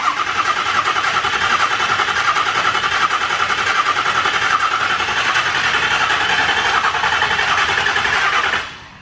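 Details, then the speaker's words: Truck that owner suspects may have thrown a rod: fast, even starter cranking for about nine seconds without the engine ever catching, then cutting off; cranks but won't start, cause unconfirmed. "no sir she ain't gonna do it i ain't hearing nothing bro"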